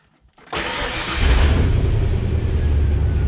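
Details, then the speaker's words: 1997 Ford Explorer V8 with check engine light and misfire codes cranks, catches, then idles lumpy and uneven with the engine shaking; scan shows misfire on cylinders seven and eight; caused by a damaged spark plug wire. "definitely hear it engine's shaking pretty good"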